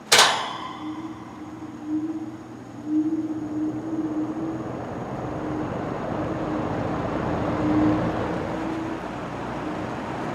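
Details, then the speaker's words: Vintage 1950s Monarch-Aire box fan with a no-oiling motor, starting on low speed: a thump, then a steady low hum and an even airy rush building slightly. It runs fine. "Does rattle just the slightest amount, but nowhere near as bad as my other ones."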